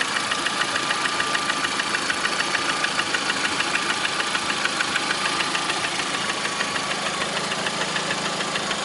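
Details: Lada Priora with 21126 engine at steady idle: sharp, regular ticking knock about three per second over the engine; knock at idle, source undetermined.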